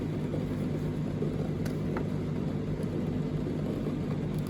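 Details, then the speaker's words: Indesit condenser tumble dryer (IDCE8450), heard from the back. Low, steady whirring hum with no cycling: the condensate pump keeps running although the reservoir is dry, while the float switch clicks up and down. "well I've just come around to the back and it does sound like there's a pump running"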